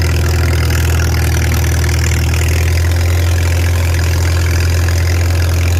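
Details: Farmall 300 Row Crop, 600-hour tractor, test drive after exhaust manifold replacement (original rusted through) and clutch adjustment, camera on chest rig; steady, even low drone, smooth unchanging beat, no knocks or rattles; running healthy, TA working.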